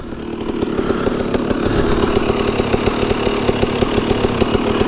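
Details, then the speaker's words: Restored KTM 300 EXC two-stroke after rebuild: crisp even idle with steady fast rattle, no stumbling or bogging; running alright. "so far so good. So yeah, I'm happy it's finished, and I'm happy it's running now. Like hopefully it keeps running."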